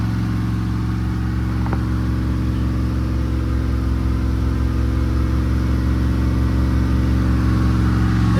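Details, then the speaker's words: Turbo Pontiac Trans Am V8 on its first start after rebuilt heads, a new camshaft, adjusted valves and a new turbo, during a 30-minute break-in at raised rpm with good oil pressure: a steady, even high idle, smooth drone, no ticks or misses. Later it developed noise and misfires, with excess valve play found. "Now I let it run for 30 minutes in this RPMs and then braking time is done. Sounds good so far. Oil pressure is great."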